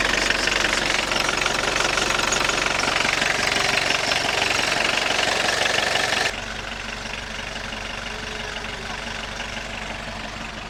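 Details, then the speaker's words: Long-stored junkyard Audi 80 diesel, just revived, with air in the clutch: loud metallic rattle about three times a second at idle that drops away when the clutch pedal is pressed or pumped; likely the clutch throwout bearing. "And that should be the clutch throwout bearing making that noise"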